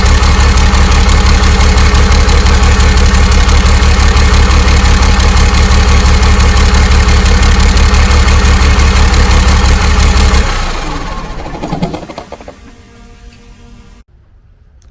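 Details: 12-valve Cummins converted to common rail, on its first start: even, steady diesel clatter at idle with a deep regular beat, then it shuts down and spins to a stop. A normal, healthy idle.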